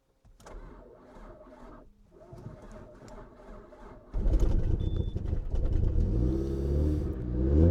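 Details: Mercedes W203 started after sitting almost two years, little fuel added to canister, relays clicking: quiet clicking, then engine catches and runs up unevenly with rising, wavering drone; start after long storage.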